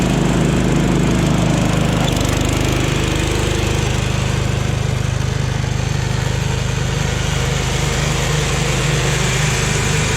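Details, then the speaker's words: Jacobsen Chief 1000 garden tractor with Kohler K241 single-cylinder, after fuel system work (drained gas, new fuel line), electric PTO engaged: deep steady thump holding even speed with the deck working, no misses or knocks; runs healthy under load. "all right so as you can see it runs and operates pretty good"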